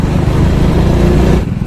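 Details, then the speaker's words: Hero Splendor motorcycle in second gear under heavier throttle (fine at about 20): a choppy, jerking rattle as the gear slips out; third gear is fine, so a gearbox fault. "तो यहाँ पर ये इससे cutter cutter cutter की आवाज़ आ रही है। देखिए झटके मार रही है, देखिए देखिए देखिए ऐसे कर रही है।"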